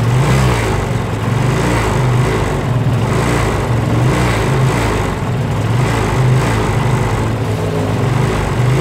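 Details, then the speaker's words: Kawasaki Rouser 135 motorcycle that wouldn't start, run after basic troubleshooting: single engine idling unevenly with stumbling, irregular beat dropping firing pulses; misfire, cause not yet pinned down. "yan makikita po natin diyan na medyo palyado palyado yung andar niya"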